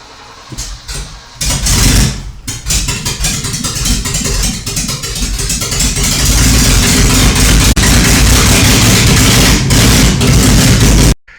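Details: Ford Granada, first start after transmission rebuild and five-speed swap, fuel lines to carb and fuel in tank: starter cranks, engine catches around two seconds in, revs briefly, then settles into a steady even run; starts fine.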